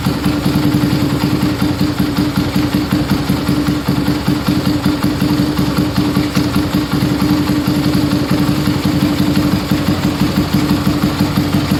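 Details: Yamaha Scorpio single-cylinder after tune-up (valve adjustment, carburetor cleaning, new intake manifold, oil change): starts at once, even steady putter with no knocks or ticks, smoother after valve adjustment, air screw about 1.5 turns; normal idle.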